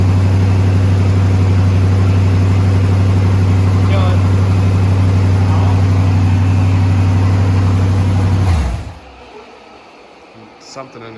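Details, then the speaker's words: Twin-turbo SBC 350 V8 rat rod at idle, just got running: loud, deep idle with a regular knock about four per second, like something bouncing or a valve hitting, then shuts off; the owner wonders if something welded in the header dropped in. "it was really weird though it didn't do it and i just started it up randomly and it just it sounded like something was bouncing off the back of something sounds like a valve hitting something or on knocker"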